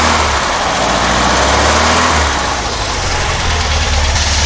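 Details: Porsche 912, Dellorto DRLA carburettors with update kit: loud steady note held at raised revs, even pulses, no coughing or spitting, revved to check generator output; carburetion healthy.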